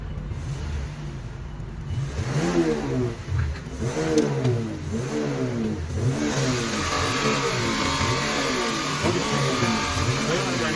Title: Misfiring, jerking, multifunction